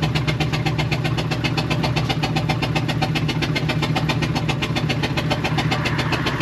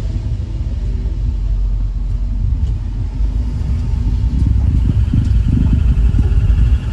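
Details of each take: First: 1999 Ford E350 Utilimaster step van, 5.4 V8, engine sounds like a tractor: loud uneven idle pulsing with a hiss over it; suspected loose belt, plug or exhaust hose leaking, not confirmed. Rough running. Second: 1999 Ford E350 step van with 5.4 V8, climbing a driveway under light throttle. Deep, even rumble with no stumble or miss, sounding healthy, though a service engine light came on about a week after the spark plugs were done.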